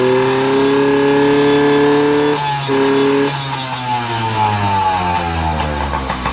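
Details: Yamaha PW50 two-stroke, revived after years sitting, running with the speed-limiter wire disconnected as a free mod for more top speed; revs cleanly high and holds, then pitch falls away smoothly, healthy free-revving engine.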